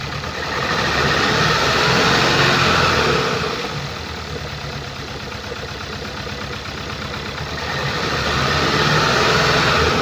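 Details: 2014 Skoda Octavia RS, 2.0 petrol CHHB (162 kW/220 PS), 196,743 km, idling: wavering, shaking idle with rhythmic stumble and rising-falling loudness; misfire caused by defective ignition coil and spark plug on cylinder 3.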